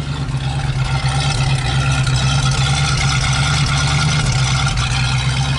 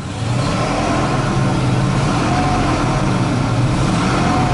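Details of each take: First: 1973 Ford Mustang Mach 1 Grande just revived after coil change and fresh fuel: deep, uneven, lumpy idle under the exhaust drone; running rough, cause not yet pinned down. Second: 1973 Ford Mustang Mach 1 Grande Coupe, project car just revived after a coil change and a few gallons of fuel: steady even engine note rising and settling as it is blipped, no knocks or misses. Doesn't run bad; oil light on, likely a disconnected switch.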